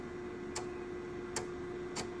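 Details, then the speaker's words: 1984 Panasonic Sr. Partner (RL-H7000WA) floppy drive booting an MS-DOS disk after reinsertion: sharp, crisp ticks every half second or so over a faint steady hum as the head steps; reads normally and quite fast. "Try again. I can hear it like doing something in there."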